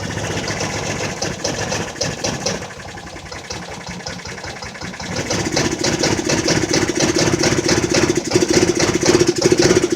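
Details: Jonway Xpressway 250cc single-cylinder scooter after first repairs; before them it would not start at all. Uneven putter that dips and picks up with a rattly beat; runs but rough after starting, cause suspected, not confirmed.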